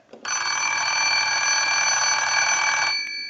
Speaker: now we want to go ahead and use the analyzer and send a ring cycle so we'll start that